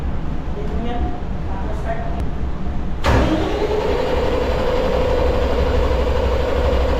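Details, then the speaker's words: Emergency generator start-failure alarm test, manual stop held while pressing engine start: low uneven churning as the engine cranks three times without catching, then a steady alarm tone; start failure, cleared by buzzer stop and reset. "Start, failure. Nag-alarma siya. Bali 3 beses mag-andar yung makina tapos hindi siya mag-start."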